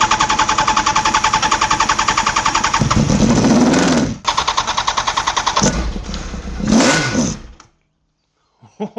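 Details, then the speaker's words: 1989 Honda CBR1000F, abandoned over 10 years, cranked with clutch held in on starting fluid (easy start); steady cranking then two short ragged revving bursts before dying, engine fires. "It's alive. Is well. It fired."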